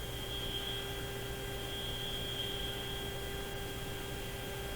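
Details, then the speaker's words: General Electric CL541A ship radio during IF alignment: turning one alignment screw further makes a steady high-pitched whistle over faint mains hum and hiss distinct. The spurious tone persists with the local oscillator disabled; shop noise suspected, source unconfirmed. "I turned this one screw off a little bit. If I go a little further, that annoying tone becomes quite distinct."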